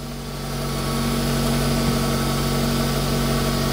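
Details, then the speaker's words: Smart Fortwo 450 Cabriolet idling after new battery fitted, alternator had seized: steady small-engine idle whose revs lift slightly and settle as air conditioning comes on at each fan setting; normal idle speed increase. "so that proves it as well you can hear the revs change so you got one setting for a bit cool and then if you want really cool and you can hear it"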